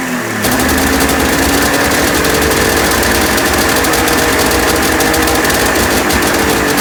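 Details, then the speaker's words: 1996 Ski-Doo Formula 3 600 triple two-stroke snowmobile, days later with a carb refitted after a stuck-float fuel leak, cold start without choke; steady crisp buzz with no misses or stumbles. "It runs. The carbs are set up right, from what I can tell. I mean, it runs really good, so."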